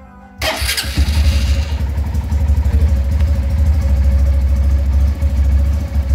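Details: Honda Titan 150 Mix motorcycle that would not electric-start, after reassembling the starter switch spring correctly without replacing parts: starter catches and engine fires within a second, then steady even low thump at idle; starts properly.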